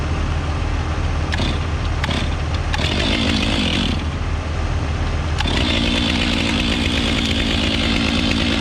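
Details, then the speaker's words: New fuel-injected Stihl 500i chainsaw with 32-inch bar, started after pushing primer button: catches quickly and settles into crisp, steady two-stroke idle with a clean blip; starts easily and runs healthy. "So that's kind of different, but it seems to fire up pretty easy."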